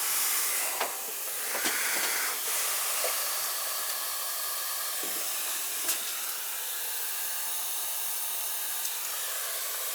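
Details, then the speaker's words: Basement ceiling water leak with no fixtures running: a constant high hiss heard up near the ceiling pipes; the exact location is still unknown. "It sounds like it's running up on top here. Right? Can you hear that? Yeah, that's why I said to you. I didn't notice it any other day till today."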